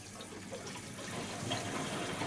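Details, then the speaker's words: Heating system after zone valve swap, pump in Grundfos GO app venting mode: soft continuous bubbling and gurgling in the pipes, steadily building; air still trapped in the circuit being pushed out. "Well, there's still air in it cuz you can hear the bubbling and the gurgling, but that is all done through the Grunt Go app."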